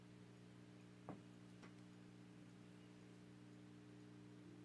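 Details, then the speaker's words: 1928 Stewart Warner 801B AC-powered TRF tube radio after cleaning the tubes and sockets, tubes possibly weak: only a quiet steady low mains-frequency buzz with no station, music or hiss change, just a brief click; set hums but receives nothing. "not a lot of activity there this is worse than I thought"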